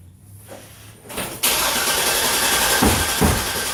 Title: No start. The hammer didn't work this time.